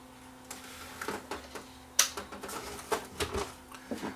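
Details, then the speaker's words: Sanyo VHR-H600 VHS VCR that won't load tapes: faint motor hum, drum spinning up, scattered irregular clicks as the front loader tries but fails; suspected timing or mode switch problem. "so I try to try on the power you see it's trying to load so I believe we have a timing problem on this one or maybe a mode switch problem"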